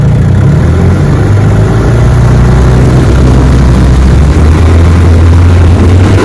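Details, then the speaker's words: Fully restored 1958 Johnson 18 hp FD-12 outboard on lake test, full throttle at about 22 mph on a 14 ft Feathercraft: steady, loud, even drone, no misses or surging; pulling strongly and running healthy. "she's a definitely running I mean great all right Jo well you got a winner here buddy"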